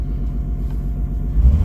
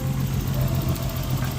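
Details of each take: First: Nissan Skyline R32 cold start and revs: deep rumble with a rough, raspy edge from a known exhaust leak. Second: Nissan Skyline R32 with RB20 single-turbo engine, recorded under the open hood near the throttle while revving: steady, even engine note with a firm low hum, no knocks or ticks; sounds healthy, though probably just needs a tune-up.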